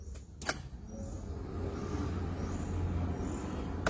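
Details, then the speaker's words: Car without hydraulic power steering, retrofitted with electric power steering, key on and engine off: a quiet background, then a sharp small click about 3 seconds after key-on as the steering assist motor activates normally. The wheel then turns easily by hand. "เปิดโปงเปิดกุญแจให้ไฟขึ้นมีเสียงแป๊กละเห็นไหมฮะที่นี่คุณจะเป็นพวงมาลัยไปไหนคุณใช้มือควงได้เลยเห็นไหมครับ"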